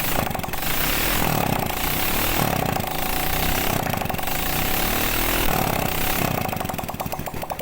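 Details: Vega ZR single-cylinder bike idling after a piston replacement for smoky exhaust, with the oiled, honed block refitted: quick, even putter and steady beat, no knocks or rattles, sounding healthy.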